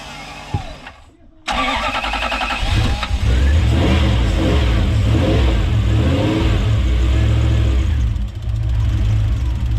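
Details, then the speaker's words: Toyota 1UZ-FE V8 in Hiace van, early Gen 1 Link ECU firing four injectors at a time, after quick start: fast sewing-machine-like ticking about four per second over idle; suspected sparks jumping or noisy injectors, petrol smell. "It sounds like sparks jumping around. I reckon it sounds like a sewing machine."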